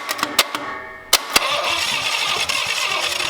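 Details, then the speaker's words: Abandoned Cadillac 331 V8 with an unverified firing order: sharp pops and a fireball out the exhaust while cranking, then it catches roughly; backfire, with the owners unsure whether the timing is off or there is too much gas. "made fire where the hell was that coming from out of the out of the exhaust does that mean our timings off i'm not sure that then fire went out the wrong wrong area maybe too much gas"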